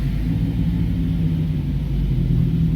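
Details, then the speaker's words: Possibly a 2016 Chrysler 200 on a lift with the wheels hanging free, in gear at about 3 mph: deep, steady growl matching the road-test noise; hub bearings ruled out, so the transmission is suspected. "Y'all hear that? That is the exact noise I was hearing on the road test driving."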